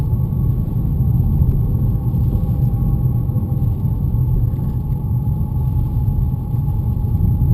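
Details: BMW E90 while moving in gear, mostly under load: steady thin high-pitched whistling whine above road rumble, always present when moving in gear; source not yet found.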